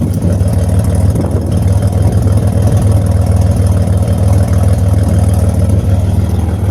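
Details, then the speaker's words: 2007 Grand Prix with ZZP XPZ aftermarket cam, first drive after storage, trans temp 105: deep, choppy lumpy idle about three beats a second, no knocks or rattles. Normal healthy idle with aftermarket cam. "It sounds good, sounds healthy. That cam lobe's definitely a lot different from the NIC cam, but I like it."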